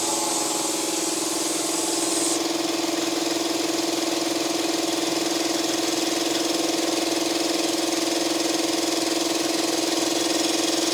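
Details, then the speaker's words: Salvaged air compressor whose seized pump had just freed up, run briefly because its oil level is uncertain. A steady, even pump hum at constant pitch with regular strokes and no binding or knocking; running normally. "oh she's working now I just want to um I don't want it to run too too long because I'm not sure if there's oil in there"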